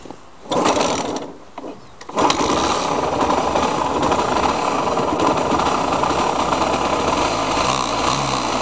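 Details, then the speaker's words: KMX two-stroke motorcycle engine, before restoration: after a couple of kicks it fires and runs with a rough, rattly whirr over the two-stroke buzz; owner says bearing noise; engine bearing noise. "Bruit de roulement."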